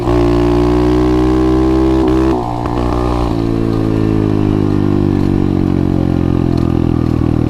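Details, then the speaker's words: 125cc pit bike with a newly installed 26mm Nibbi carburetor, after adjustments: it revs hard, then drops back to a steady idle without stalling, where it used to die on slowing or stopping. Normal idle after revving. "So, as you guys can tell, it's not dying, which normally I have that problem with my carburetor. I come to a stop or I slow down and it dies right away."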